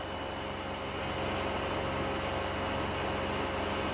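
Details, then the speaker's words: Outdoor air conditioning unit on a built box stand, before fitting rubber spring anti-vibration legs: steady droning hum and low rumble as compressor and fan run; very noisy, slight vibration through mounting. "so terribly noisy I can feel slight very slight vibration but all together noise over there"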